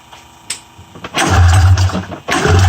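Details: 1994 Polaris Indy 500 EFI snowmobile after priming fuel into the cylinders, fuel pump hot-wired: two short low chugging bursts catching briefly then dying; cranks but won't keep running, has spark, cause suspected, not confirmed.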